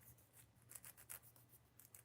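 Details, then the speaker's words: HPI Savage 25 nitro RC truck rebuild, wheel bearing cleaned and spun by hand: gritty, scratchy rasp pulsing instead of smooth; bearing is worn out and crunchy, to be replaced. "This thing is uh Yeah, this thing's shot. It's crunchy as [ __ ]"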